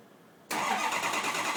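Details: Ford F350 cold start after a high-30s °F night with two bad injectors: silence, then the engine fires abruptly and runs loud and harsh right away.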